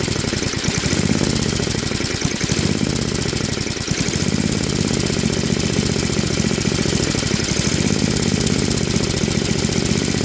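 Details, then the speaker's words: Tecumseh Snow King 5.5 hp 195cc engine on a Craftsman 24-inch Trac-Drive snowblower, carb cleaned after a year's storage gummed it; back gasket leaks. Small engine idles low with firing pace drifting up and down, still hunting at low idle before final idle screw adjustment. "so that's pretty good but it's still kind of searching a little at low idle"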